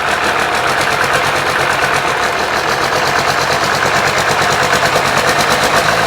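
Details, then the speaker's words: 1995 12-valve P-pump Cummins diesel during a DIY 600hp build: idle is junky and lumpy with irregular knocks, clearing when given gas; owner suspects wrongly fitted governor springs or notch screw adjustment. No fuel leaks. "so we're going to it idle's kind of junky but if you give it some gas it goes away"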